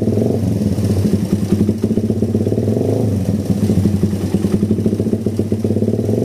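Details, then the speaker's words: Suzuki Satria FU motorcycle with a faint tick that stumbles and dips on gentle throttle; the exhaust is too big for the stock factory vacuum carburettor. Complaints include heavy pull and hard morning starts, and the camshaft was found scraped. "Kondisi awal ngericik tipis sama kalau digas pelan dia jeda-jeda ya, kosong deder."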